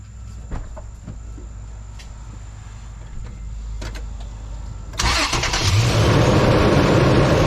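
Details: 2006 Toyota Tundra starting right after a new battery was installed replacing a weak one (47% health): quiet low cranking for a few seconds, then clean catch into a steady even idle, a healthy start.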